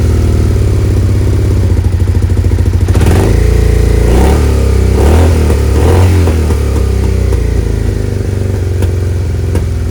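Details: Suzuki SV650S V-twin during carb sync, after fitting vacuum gauge line and removing old possibly leaking hose: even idle then quick sharp revs rising and dropping cleanly; throttle response now spot on.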